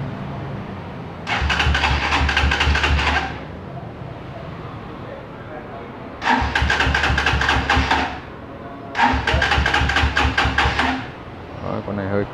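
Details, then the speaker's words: GBX 200cc café-racer motorcycle, 14,000 on the odometer: three cranking bursts of about two seconds each, the starter spinning evenly and never catching; hard to start because the tank is out of fuel. "con này hơi khó nổ xíu. Các cái hết xăng đó. Đây, con này hết xăng nha anh em, 200cc."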